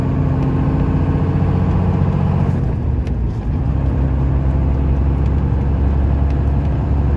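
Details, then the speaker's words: 1995 Dodge Ram 3500 dually 4x4, 12-valve 5.9 Cummins diesel, 5-speed manual, 45k miles, fully serviced, pulling uphill: deep steady rumble, smooth gear change, no chirp or grind from the gearbox; normal running under load. "head up the hill so you can hear this cummins run as well as the five speed you can hear how it doesn't chirp doesn't grind"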